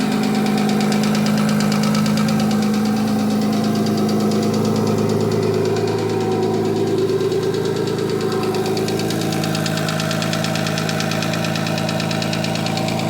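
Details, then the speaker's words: Audi 2.7T twin-turbo-powered Porsche Boxster, new forged engine, first start after engine work; fast uneven ticking about three per second at cold idle, easing as it warms and gone once warm. Owner suspects piston slap, unconfirmed. "So it's better than it was, but it's still not great. I think maybe it's just a bit of piston slap. it goes as soon as the engine's warmed up a bit, so I'm not going to worry about it anymore."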